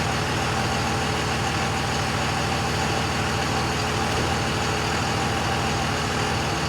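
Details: 2001 Cummins dually (~240k miles), rebuilt after cracked 53 block with a 56 block, new rings/gaskets/bearings, 50hp VCO injectors, new torque converter; after rebuild: steady even diesel idle clatter, no knocks or misses; running great.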